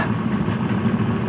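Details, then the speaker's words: Honda Beat FI scooter after seized-piston repair: idle pulses unevenly with wavering beat; weak fuel pump giving about 20 PSI instead of 40 PSI starves the engine. "Ini tekanannya cuma 20 ya. Seharusnya ini 40 PSI ya. Sekalian kita kasih tahu ke yang punya motor lewat video ini ya. Ternyata bukan di bagian mesin saja, di bagian full pump, di bagian rotaknya ini sudah lemah ya."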